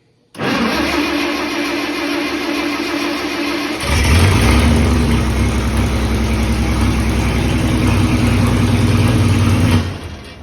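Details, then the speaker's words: First fire of a rebuilt 1951 Chrysler 218 six-cylinder engine in a 1949 Massey Harris 21A self-propelled combine: it catches at once, runs evenly, picks up to a steadier, higher hum, then shuts down cleanly. Healthy, no knocks or misses. "Wow! It works. That was That's crazy. good."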